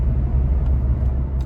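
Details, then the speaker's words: 2019 Ford Fiesta test drive after rear wheel bearing hub replacement, a little over 50 mph: only steady low road rumble, no hum or growl from the rear, quiet through swerve test; normal wheel bearing noise. "Okay, so we're at 50, a little over 50 right now, and it is nice and quiet. If you can hear it. Everything is nice and quiet now, and that's the way it's supposed to be."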